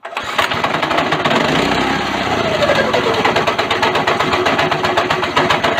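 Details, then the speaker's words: Go-kart small single after a governor bypass with the airbox reassembled: the engine howls at a constant high rev and never drops back to idle because the throttle is stuck wide open after a mistake in the work. "all right i have done something very very very very wrong here uh it's stuck at wide open throttle"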